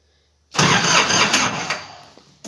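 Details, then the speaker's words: Diesel ATV pulled from long barn storage, cold start in S with glow plugs: a short, harsh crank with a rough cough that never catches and fades within two seconds. The cold diesel is reluctant to fire and needs more heat. "She's a little bit cold. Oof. I think she needs a little bit more. She needs to heat up just a little bit."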